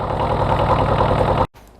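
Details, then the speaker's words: Airman AX-08 excavator diesel engine started easily right after an oil and filter change to 10W40, seemingly easier than with the old oil; steady even diesel clatter at idle with no knocks or stumbles before shutdown. Normal diesel idle. "It started up quite easy. I think better than with the old oil."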